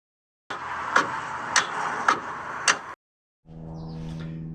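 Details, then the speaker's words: Toyota Tacoma turning key: four sharp, dry clicks about half a second apart with no cranking; starter click no-start blamed on corroded battery terminals, fixed by cleaning them. "Uh today hopped in the Tacoma and uh all I got was click click click."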